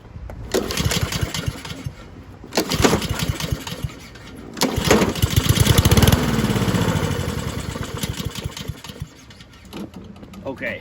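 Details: Curbside-found Husqvarna push mower, unknown time sitting, started with starting fluid: catches briefly, runs smooth and even a few seconds with no clattering, then dies; points to fuel or carburettor fault.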